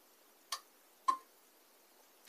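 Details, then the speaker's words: Portable power station connected to solar input (simulated by power supply at 18 V, current slowly raised): relay clicks on and off three sharp times in quiet, trying to decide if input is enough to start charging; voltage drops when charging starts, relay chatters at low solar input. "is the relay that's trying to decide whether there's enough power coming in from the solar panel to start charging"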